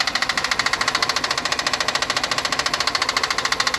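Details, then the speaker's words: Van in limp-home mode after shop repairs, running best for about 3 seconds: sharp, hard, even metallic knock about 140 per minute from the timing belt area; timing belt tensioner suspected, not confirmed. "but I've never heard a knock so so significant with a timing [Music] belt"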